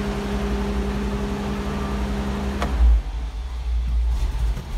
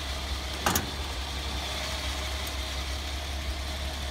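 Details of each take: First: 1984 Toyota Land Cruiser 45 series 2F petrol, choke out, starts then stalls after two minutes: weak uneven idle surging and sagging every second or so; failing ignition coil, ballast resistor had been removed. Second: 1984 Toyota Land Cruiser 45 series 2F petrol engine, which stalls after about two minutes because of a failing ignition coil: steady, even idle with a brief early clatter, no misses.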